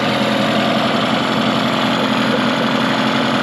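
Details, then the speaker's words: Mercury 15 hp two-stroke outboard built from two non-running motors, good compression and spark, after fuel system work: buzzes steadily at idle but a bit fast; idle speed to be turned down at the carburetor throttle arm. "um so right now it's running pretty good i'm gonna let it run for a second see if it stalls or anything um we'll kind of just do some stuff it sounds a little fast right now so i might adjust just the throttle and idle speed on the throttle arm"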